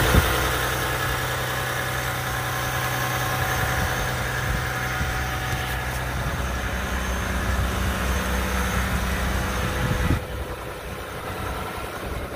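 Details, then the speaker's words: 2020 Ram 1500 EcoDiesel Gen 3, cold start at 32°F, automatically going to high idle: even diesel clatter at a raised steady idle that settles a little lower near the end. Normal cold-start high idle. "so this was a cold start you see it's 32 degrees outside so all I did it was hop in and start the truck and it automatically went to a high idle see that so that's pretty awesome"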